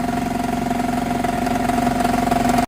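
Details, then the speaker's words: Geo Tracker at idle after a trail run: steady fast deep knocking from the bottom end under the exhaust note, then shut off; owners suspect a bent rod or spun bearing, not confirmed. "we're pretty sure that it is either a bent rod or a spun bearing is that noise is super loud and it comes from the bottom end."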